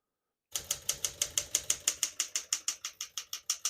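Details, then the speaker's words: Serviced 1966 Smith-Corona Sterling portable typewriter typing normally on single line spacing: crisp, even keystrikes about three per second, every key landing cleanly with none skipping or sticking. "As you can see, all the keys type nice and none of them skip or stick."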